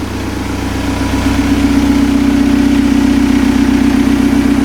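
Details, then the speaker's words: TDI-swapped Toyota truck, cold start the morning after injection pump head seals were replaced: fires right up and settles into a steady, even diesel idle with no stumbling; no lost prime, and no leaks later. "Fired right up. So we still need to take it out for a drive, make sure there's no leaks."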